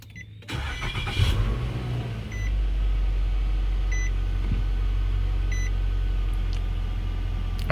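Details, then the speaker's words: 2011 Nissan Altima, 221,000 miles, after replacing cracked valve cover, spark plug and coil that caused a P0303 misfire: catches and settles into a steady, even idle with no stumble or skip, steady RPM, no check engine light; smooth. "I can tell right off the bat that this is a lot better than what it was. So, it was misfiring. It was sounding really bad. Uh, it was missing. But now, I mean, I don't have a check engine light. I have a steady RPM. I mean, it's just humming."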